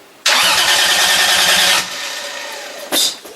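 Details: Project engine cranked for the first time, fuel system not yet done: strong, even cranking pulses about three per second over loud starter whir, no dragging; starter and battery working.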